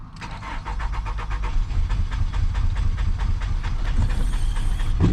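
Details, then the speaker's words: Nissan Altima 2.5 after fuel pump issue resolved (pump now kicking on), check engine light with fuel level/sensor circuit codes: deep irregular chugging as it cranks and catches, stumbling, never settling to steady idle; another unknown problem remains. "All right, guys, it looks like we might have another issue. Looks like we might have another issue. We got the fuel situation taken care of. She's got another problem."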